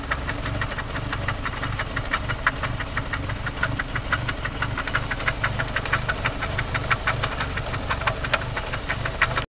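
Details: 1993 Eagle Talon turbo, stock 7-bolt 4G63 engine, idling with a sharp, steady knock about three times a second; confirmed spun/worn connecting rod bearing, rod play found with oil pan removed.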